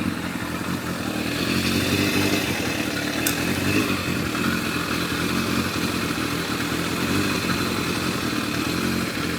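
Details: Yamaha FZR1000 four-cylinder with rebuilt carburetors after Digi Sync balancing: steady even idle with a smooth fast patter, no hunting or misfires; readings all 58–60, carbs balanced.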